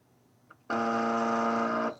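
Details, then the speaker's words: U.S. military AN/UGC-74B communications terminal (dot matrix) that won't print, after swapping a circuit board: steady high buzzer tone for about a second, print head not moving; alarm persists, electrical fault suspected. "No, unfortunately not. Still making the same sound."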